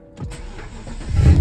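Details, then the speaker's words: BMW N62 V8 idling before its VANOS solenoids were cleaned; spark plugs had been replaced and coils checked good. The idle pulses unevenly with a lumpy, jumpy beat and a surge, giving a choppy rough idle. The cleaning later did not fix it. "so as the RPMs rough you can see the idle it's a little yeah it's a little choppy you can't really see it maybe you could hear it"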